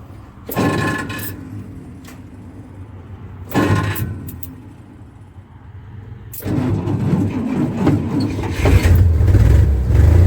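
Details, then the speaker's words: 1962 Dodge M37 run after sitting about 45 years, on an improvised IV fuel feed with a fuel pump run by a helper. Two cranking bursts, then it catches with a lumpy idle, seemingly missing on a couple of cylinders; plugs and wires not yet replaced. It smooths somewhat when idled down. "Feel like it's missing on a couple of cylinders. I still got plugs and wires to put on it too."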